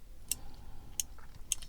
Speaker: Si jamais le moteur arrive embuté, il va appuyer sur le micro switch là, vous entendez,